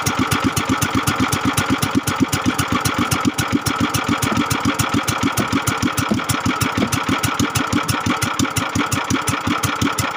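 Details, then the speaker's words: Kingstone 16 hp single-cylinder engine that had become hard to start and would not idle. After reassembly with liquid gasket added over the old gasket, it starts and idles smoothly with crisp, even, steady firing. "at napaandar natin nakita niyo naman magor ng ating motor ngayon so kaya kison na siya"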